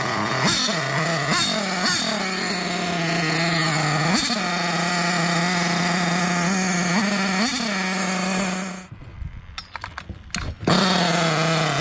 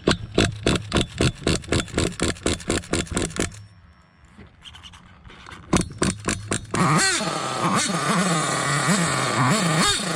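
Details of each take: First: Hobao Hyper 7 RC nitro car, JL .28 engine on its stock carburetor; high buzzing idle jumps sharply to near full revs on each small throttle blip, then cuts out; erratic throttle response from faulty carburetor, later swapped for HPI carb. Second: Hobao Hyper 7 RC nitro car, JL .28 engine after swapping faulty stock carb for HPI carburetor; sharp revving bursts then steady high-pitched buzzing run holding smoothly; normal running.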